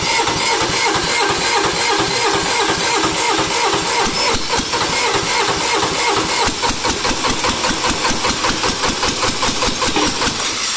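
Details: Sears hydro tractor diesel build, first start after the engine was glowed and fuel was pushed up to the injection pump. It catches after a short crank and settles into a steady, even diesel clatter of about two and a half beats a second. Normal start and idle.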